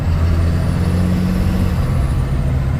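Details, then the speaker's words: Ford truck with its 7.3 IDI replaced by a P-pump 12-valve Cummins, still needing pump tuning and lacking bottom end: deep, even diesel clatter, steady with no misses or knocks, running well. "still it's running pretty damn good it sounds like a dirty old 12 valve"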